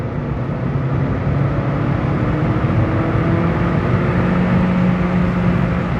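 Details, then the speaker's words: Car, light roll-on in second gear after fluid changes: smooth, even low rumble with the tone slowly climbing, no chopping or knocking, less drivetrain vibration and smoother clutch shifts. "the engine braking there's less vibration in the drive chain the clutch shifts a lot smoother with uh the engagement of the brake pedal"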